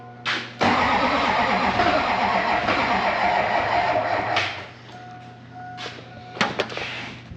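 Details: LB7 Duramax diesel after installing a used set of injectors: long run of even starter cranking, about three turns a second, with no firing; crank no start from air in the fuel system.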